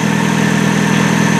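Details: 1999 Nissan Altima 2.4L 4-cylinder with a customer-replaced distributor that was never timed, still warming up. Loud, steady idle with a firm, even beat and no misses. Ignition timing is found fully advanced before being set with a timing light.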